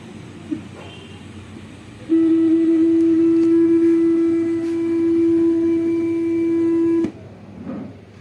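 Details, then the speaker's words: 32-inch Vision LED TV: loud steady buzzing tone blares from the speaker for about five seconds, then picture goes and the set shuts off; voltages checked fine, fault traced to the processor (CPU), fixed by replacing it. "টিভিটার সমস্যা হচ্ছে বিকট শব্দ করে ছবি চলে যায় এবং বন্ধ হয়ে যায় সাথে।"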